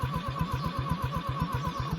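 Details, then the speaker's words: Abandoned OMC Mustang 345 skid loader, four-cylinder engine cranked via push-button starter: slow, uneven cranking with soft boop-boop thumps and no firing, same on all four cylinders instead of a crisp thump; low compression. "you hear how it goes that's what I mean by low compression it's doing that on every single cylinder all four of them that boop boop boop means it's just not building any compression"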